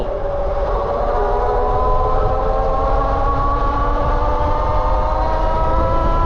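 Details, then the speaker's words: BBSHD mid-drive e-bike while riding: steady whining tones climb with road speed over wind noise; the chain and drivetrain are noisy, and the nylon gear is suspected of being noisier than the PEEK gear on another bike. "I was trying to figure out if it's like the nylon gear is just way noisier than the peak gear that I have in my other bike"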